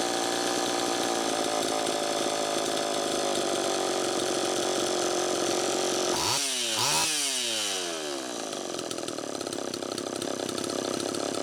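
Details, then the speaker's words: Homelite Super EZ chainsaw after crank seal replacement, idle speed screw still far out. Screams at high, uneven revs and surges instead of settling: intake air leak. "first take a listen to how it's running it's pretty close but one key that something's still not quite right see how far out i have that idle speed screw still screaming air leak"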